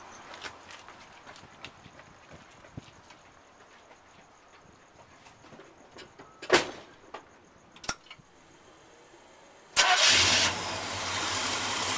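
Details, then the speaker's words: 1976 GMC Suburban 4x4, Chevy small block 400 V8, after replacing a broken exhaust manifold and refitting plugs and wires: quiet clicks and taps, then the engine fires promptly and holds a steady, even idle; starts healthy. "Alright, everything's back together. Let's start it."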